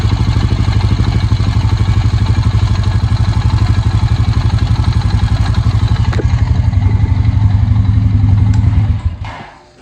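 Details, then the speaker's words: 2004 Honda Rancher 350 single-cylinder ATV idling with a steady rattle on its beat, then shut off: valve chatter from sloppy, loose valve clearance, to be fixed by opening the valve cover and adjusting the valves. "I don't know if y'all could hear that rattle, rattle, rattle. That was going on when it was running, but that is what we like to call a valve chatter."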